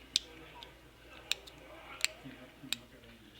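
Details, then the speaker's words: Homelite gas string trimmer that won't start, carburetor diaphragm flexed by hand: five crisp, dry clicks about a second apart; diaphragm dried out and brittle from ethanol fuel, snaps instead of flexing, needs replacing with gaskets. "It just clicks. It is so brittle. And that is not going to work. So it's going to have to be replaced."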